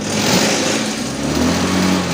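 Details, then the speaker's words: Honda motorcycle read on MST Autoscan at about 1700 rpm: unstable fuel-trim mode makes the ECM cut fuel (0.9 to 0.1), so opening the throttle gives a lean bog with a bad sound, revs climbing sluggishly with a lag instead of a quick jump. "Dari akselerasi awal, mesin itu terasa bek, ada suara nggak enak itu loh. Nggak seperti loncatan, ibarat orang loncat itu cepet."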